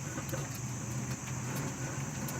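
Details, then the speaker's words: 2009 Toyota Camry with bad wheel bearings, a problem since 50,000 miles and wearing out the tires: a steady, rough low rumble with a gritty edge and faint irregular clicks as the hub turns; some rubber noise too. "You hear that noise? This is what I hear all day. Ignore that rubber noise here. This is how bad it is, and it's wearing out my tires."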